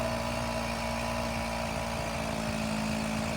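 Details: Free secondhand GoPed-style stand-up gas scooter, small two-stroke, first start after fuel lines fed and carburetor primed, with choke and a missing part: buzzing along at a steady, even idle with no stumbling; it runs.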